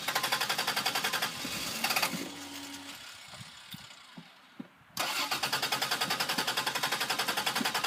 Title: The newyorker won't start! :(